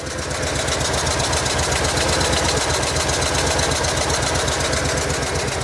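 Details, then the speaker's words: Just over 110,000-mile replacement vehicle at idle: uneven loping idle stumbling about four times a second, cylinders not firing, knock starting; owner guesses bottom end. "Definitely missing though. Oh, it's starting to knock."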